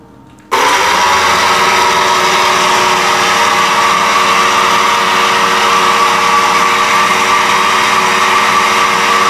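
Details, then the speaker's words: Farrata pedestal fan at switch-on: a loud, rough whirring whine over a dull rumble. The cause is worn motor bearings, which are to be replaced. "और बहुत तेज आवाज कर रहा है तो इसका कारण यह है इसके बैरिंग और खराब हो गए हैं"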